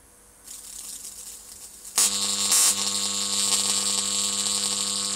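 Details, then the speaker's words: Homemade high-voltage transformer with new, better-insulated secondary coil: quiet hum, then harsh steady sizzling buzz as an arc strikes and holds evenly across a 2-inch gap. "I made this one so off there go not bad eh 2 in gap"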